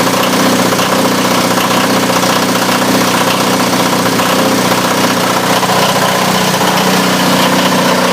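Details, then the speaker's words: Onan DJB 6 kW diesel generator with new muffler, complete ice-cold start in a shed (22°F that morning, about 48 now), glow plugs preheated 30 seconds: steady, even diesel clatter at settled idle, no misses or knocks over exhaust drone; healthy warm-up. "so now this is a complete cold start we're going to do here things like ice cold"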